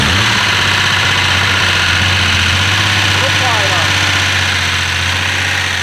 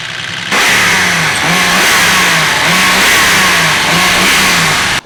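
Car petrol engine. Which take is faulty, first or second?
first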